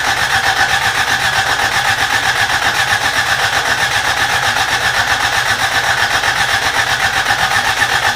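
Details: Rebuilt carbureted Toyota Corolla, first start attempt: steady even cranking about four beats per second, never catches; turns over but fuel not reaching carburetor, old tank gas believed bad.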